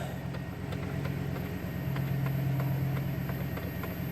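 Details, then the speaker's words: 2008 Chevrolet Suburban after unplugging a corroded electronic suspension control module that had taken down the high-speed data line: it fires right up at a low, even, clean idle with no misses; battery sounds slightly weak; normal idle. "so i unplugged it and now the vehicle runs just fine starts up every time i'll show you that here in a second fire's right up no problem battery does sound a little weak"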